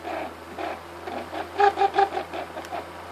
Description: after years of being at the cabin. the bearings in it is toast. time to get a new one!